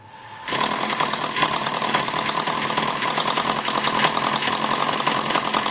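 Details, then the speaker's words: Maier TA4 small engine at final tuneup adjustments, run slightly rich after its gas valve was cleaned and lubricated: fast, even buzzing picks up after a quiet start; runs smoother once warm with light flywheel load; normal running. "once it warms up it'll win a little better it actually runs a little smoother once it warms up with a little bit of load on the flywheel"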